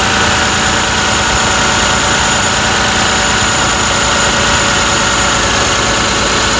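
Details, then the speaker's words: 2002–2006 Toyota Camry 3.0 L V6 idling with the PCV valve pulled out: steady vacuum hiss and light, rapid clicking from the working valve. "I definitely feel vacuum. You can actually even hear the valve clicking."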